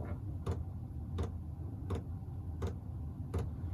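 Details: eBay diesel air preheater for a workshop, powered by a 240V-to-12V 30A supply, lighting up as its exhaust fires: crisp, even fuel-pump ticks a bit faster than one per second over a low rumble. Normal start-up.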